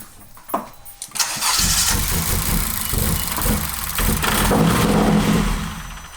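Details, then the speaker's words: Honda Civic Si started cold: catches and settles into a lumpy, uneven idle with irregular dropped beats and a squeak; cold-start misfire, scanner check pending. "That's a misfire. I thought I was about to fucking break. But I mean, remember, it's cold, so if you start again, it won't make that squeaking noise anymore."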